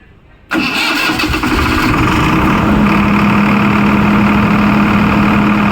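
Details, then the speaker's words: Kirloskar CPCB-4 diesel generator, started with load MCB off after tightening a loose load cable while checking an under-frequency alarm: cranks and catches within half a second, then runs steady and even; problem cleared, normal start. "Problem clear ಆಯಿತು. ಈಗ ಬೇಕಾದ್ರೆ load ಕೊಡ್ಬೋದು."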